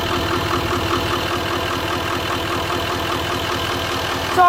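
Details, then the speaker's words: 2019 L5P Duramax diesel under 60,000 miles at idle: uneven, lumpy pulse with a steady stumble and the truck shaking. Cylinder 4 misfire from a failed injector connector pigtail that was not making contact. "You can tell it obviously has a miss. I bet it's shaking. I bet it's shaking the whole truck."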